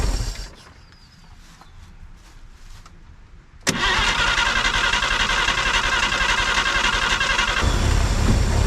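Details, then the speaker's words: 1950 Chevrolet Styleline, parked 7-9 years and sunk in the ground, fires with a sharp catch on fuel and settles into an even, steady idle; normal start and idle. "see come on baby did you just hear it kick in that's awesome that's it girl"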